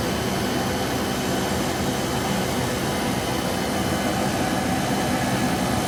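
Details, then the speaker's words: Porsche 914 heater blower after replacing the broken blower motor, tested on the car: steady, even rush of air with constant motor hum, no rattles, squeals or air leaks, normal blower operation. "Blower's on. Looking good. No air leaks."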